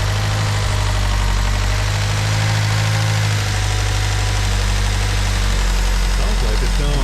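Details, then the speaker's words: 2009 Ford Fusion 2.3L that barely runs, with MAP sensor and O2 sensor codes, idling with a low, slightly uneven drone and a faint dip; vacuum leak, traced to the intake runner control on a faulty intake manifold needing replacement. "so let's start this thing up and see what that tells us it's not telling us anything yet it's almost like a hear a vacuum leak"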